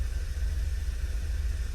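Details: 2013 Volkswagen 2.0 TSI cold start or after sitting: low, uneven chuff with an occasional dropped beat. Cylinder 2 misfires heavily, 1 and 4 also misfire. Coils and injectors are new, so the engine is taken apart to check the valves.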